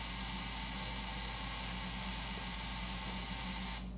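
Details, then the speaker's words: 1914 Model T Speedster, unstarted for 51 years, with its ignition coils tested on a battery supply (negative ground). A coil gives a steady high-pitched buzz for about four seconds, then cuts off: the coil is trembling properly, so spark is available. "Okay, let's test them all. So, now another one is buzzing."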